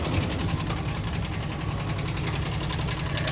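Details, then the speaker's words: Long-sitting auction truck, brake booster disconnected made no difference: deep lumpy idle with uneven stumbling thumps; running bad, "47" seen under the hood points to a known fault, truck judged done. "well the brake booster is disconnected right here well that didn't seem to make any difference oh she's running bad guys it's happened"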